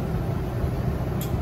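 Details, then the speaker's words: Rooftop AC unit on a 2009 Ford E450/E350 14-passenger shuttle bus, after replacing the motor that made it loud, on low: a steady low hum with no bearing growl or squeal; quiet, still blowing cool though it needs recharging; normal blower operation. "that's quiet and it's still blowing cool we need to get this thing recharged but on low that feels good"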